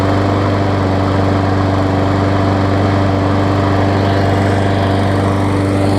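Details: Craftsman push mower with Briggs engine, dumpster find, after carb diaphragm replacement, safety cable fix and service: steady, even drone at constant speed, no surging or sputtering, gas leak stopped; normal running.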